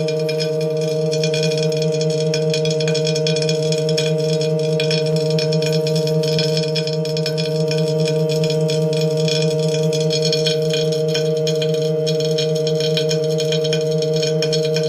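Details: Tacx Neo smart trainer with cassette removed: steady ringing hum with a faint scraping texture while the flywheel spins; grinding noise on the disk, cause unclear.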